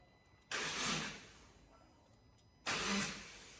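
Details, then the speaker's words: Subaru Impreza EJ20 after timing belt and water pump replacement with fresh coolant: first cranking, aircon off, two short even bursts turning over cleanly with no knocking or slapping; normal cranking, then starts. "sounds good try again that's a good sound"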